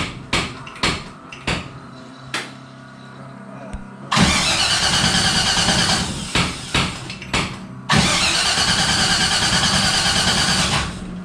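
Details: Henry J gasser, not run since a car show, rewired ignition/kill switch, fuel pump off: starter cranks in long even bursts but never fires; crank no start, spark suspected, unconfirmed.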